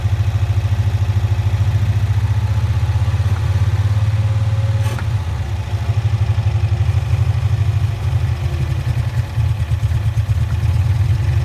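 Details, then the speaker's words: 1965 Cushman Truckster two-cylinder, started after sitting over a year, in neutral with choke being adjusted: loud low chugging that pulses unevenly and sags, won't accelerate and chokes out; owner suspects choke not letting off. "for some reason it doesn't want to accelerate just chokes out that's the big problem after six"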